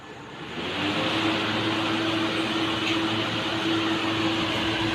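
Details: Air cooler water pump repaired after cleaning out heavy dirt that stopped it working; fan spins up within a second to a steady whoosh with a faint even hum, no rattle or scrape. Cooler running normally.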